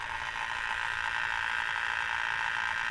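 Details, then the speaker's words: Fast buzzing chatter pulsing three to four times a second over an oscillating idle on a Nissan S14 running an AEM Infinity ECU; the idle air control valve makes the noise, since unplugging it stopped it completely. "I couldn't feel it really vibrating so I unplugged it and it completely stopped that's a Hayek valve it's around $300 brand-new"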